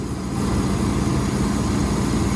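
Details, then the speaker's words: Previously non-running Bentley, ECU refitted, first run: deep, smooth, even rumble at steady idle with no misses or knocks; engine now running properly. "ah that is so beautiful to hear that running has any faults come up on the dash loads because that ecu's been out again but guys listen to that"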